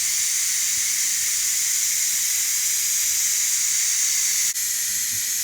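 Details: Ninja Foodi quick pressure release after 20-minute pressure cook of baby back ribs, gate fully open; loud even high hiss holding steady for seconds, about a minute to vent; normal steam release.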